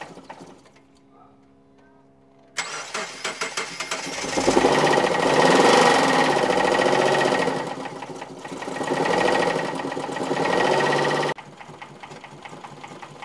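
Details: 2008 Subaru Impreza running badly: after cranking it catches and runs lumpy with uneven beat and surging revs; compression test shows zero compression in one cylinder with oil-soaked plug, caused by a broken passenger-side camshaft from low oil.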